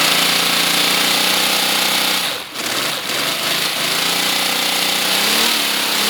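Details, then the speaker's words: Miniature inline-6 air engine running on raised supply pressure: fast rapid hissing chuffs, tone rising and falling with speed, air leaking from exhaust ports and elsewhere (exhaust not yet sealed); runs well. "Sounds good, bro."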